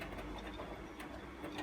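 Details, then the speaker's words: Bosch Exxcel 1400 washing machine, 40-degree wash stuck at one minute with wet laundry: quick ticking and soft tumbling with drum reversals, no spin or pump run; caught in an agitating loop without draining, owner suspects pump blockage; cleaning filter fixed it. "peculiar it's just caught in a loop I think it seems to just be tumbling agitating one way and then the other"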